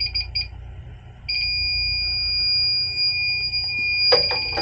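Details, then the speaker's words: Freezer warmed to 59°F, starving for refrigerant: leak detector's short shrill beeps jump to a continuous high tone at the spot; refrigerant leak where the liquid line chafed through on aluminum. "Yeah, I found it. That liquid line. Hold on, let me shut my wick. You can hear it. The liquid line right there chafed through on the aluminum."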